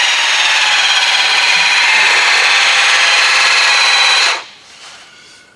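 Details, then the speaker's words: VEVOR 5-ton electric car jack lifting a 4x4 with 15.5 inches of clearance: steady high buzzing whine that cuts off abruptly at maximum height; normal lift cycle, tire just off the ground. "did you hear what went on there you can hear a difference in the noise and it did stop at that height right there"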